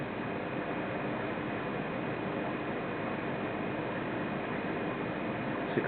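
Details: Vindon environmental chamber with two ultrasonic humidity generators, set to 65% RH, humidity rising through about 60% at about 17°C: a steady, even airy hiss with no knocks or changing tones, the humidifier running normally.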